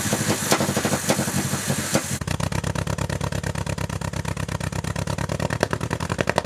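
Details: 1974 MGB with a rebuilt engine, after carburetor work: sharp gunshot-like exhaust pops, then a choppy uneven idle; owner suspects a destroyed number one cylinder spark plug wire causing the misfire; exhaust backfire.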